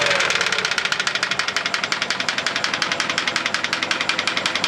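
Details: GAZ-24 Volga: sharp, regular metallic knocking, several per second, riding steadily over the running engine; a clear internal engine knock, source undetermined.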